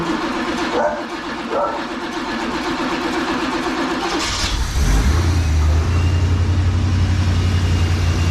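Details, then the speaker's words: 1986 Trans Am, sitting 17 years, after carb, fuel tank, intake gasket and fuel pump work; cold start with choke set and fuel squirted: cranks, catches, runs rough a few seconds, then sags unevenly toward a stall, cause unconfirmed. "And away she goes. And away she don't go. I wonder what that was all about."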